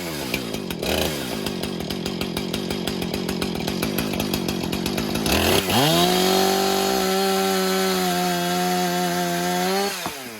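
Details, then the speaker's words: Husqvarna 455 Rancher chainsaw after routine maintenance, cutting 4x4s under load. Steady rapid pulsing as it bogs into the cut, then a clean high rev once free; it cuts like a hot knife through butter and runs healthy. "Boy, I tell you what, that was like a hot knife through butter. Those 4x4s didn't stand a chance."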